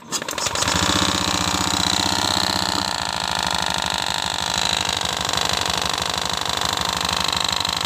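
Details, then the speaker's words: Honda Beat FI (eco) scooter with the CVT area disassembled; harsh, rough clattery idle with uneven tapping about three times a second, oil also seeping; noise persisted with CVT removed, traced to a loose/worn seal. "nah begitu ya Bro itu suaranya Tuh kasar ya Bro nah ini ternyata ini daerah CVT tadi saya kira cuma ada di bagian rumah loler atau kampas gandanya ya Bro ternyata ini saya lepas tetap saja bunyi ya Bro"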